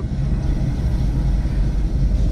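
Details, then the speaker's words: BMW E46 M3, driver-side front wheel spun: deep steady rumbling growl, louder like a roar at higher speed, no clicks or knocks; worn front wheel bearing, passenger side has no issue. "you hear that now if you go faster and faster that thing is like roaring like a lion"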